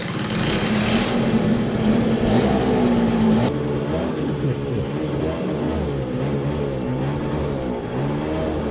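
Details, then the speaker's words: CPI two-stroke scooter riding with new 6.2g variator rollers: buzzing revs suddenly fall low and flat, bogging and unable to pull; owner suspects dirt in the carburetor as there is no fuel filter, none seen; water found in airbox. "now there is probably dirt in the carburetor as it doesn't have a fuel filter"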